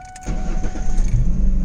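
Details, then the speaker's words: 1999–2004 New Edge Ford Mustang after clearing the anti-theft lockout by rubbing the key fob on the rear speaker magnets, theft light off: engine catches instantly and settles into a steady low rumble; normal start. "starts right up."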